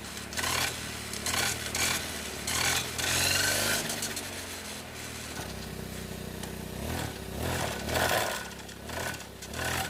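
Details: Four-stroke brush cutter revving up and falling back: harsh scraping rasp at the gear head, which sounds dry and worn; owner suspects it was never greased and needs grease.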